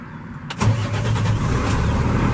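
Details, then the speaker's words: 2017 Freightliner M2 106 with Cummins ISL 300 hp diesel and Allison 6-speed automatic, 198,000 miles: starter catches and settles into a steady even low diesel rumble with no knocks. Normal idle. "Cummins ISL 300 horsepower with an automatic Allison transmission, 6-speed. Beautiful unit, folks."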